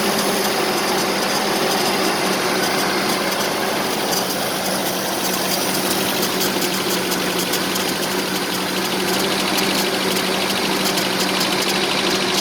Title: 1984 Nissan 720 4x4 with rough idle.